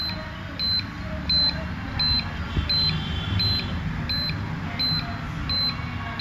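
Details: CareStream CS 2100 dental X-ray: high steady beeps about 86 per minute from the buzzer over a low hum after the exposure switch is pressed, no exposure sound; cause was a loose power board to head jack connection (J6 connector).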